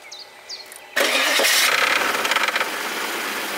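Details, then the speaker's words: Audi/VW V8 timing-chain engine (same hydraulic chain tensioner issue as 1.8T, V6, V8 of 1994–2005) started cold after standing: harsh metallic rattle for the first seconds, gone on second start, from a failing hydraulic timing chain tensioner. "И слушайте когда он заведется будет у него характерный треск после простоя после простоя слушаем"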